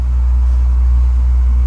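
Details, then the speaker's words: White Rodgers 50E47-843 ignition module furnace, earlier no-heat call flashing a reversed polarity code that proved not to be the cause: just after gas valve opens and burner lights, a heavy steady low rumble; blower motor suspected, to be checked. "listen to that thing rumble so it looks like we're good we're gonna check that blower motor because uh yeah it's rumbling quite a bit"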